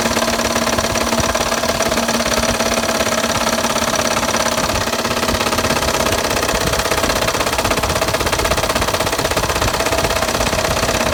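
A loud, fast, uneven knocking rides over the running engine, about three hits a second, pointing to serious bottom-end knock.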